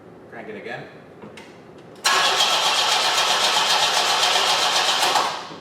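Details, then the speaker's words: 1973 Opel 1900 (Ascona) abandoned for years, first start attempt with burnt starter power wire repaired: engine cranks quickly and evenly for about three seconds without firing; no spark, suspected double resistor in the ignition coil circuit. "okay okay okay there is no spark okay crank it again nope no spark"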